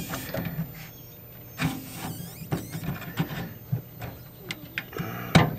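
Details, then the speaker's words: 1956 Zenith 17X20 vacuum-tube black-and-white TV recovered from a desert dump: thin, constant very high flyback whine under clicks and knob handling; high voltage present, later measured at 12–13 kV. "but what we're looking for is we're looking for high voltage here. I hear high voltage."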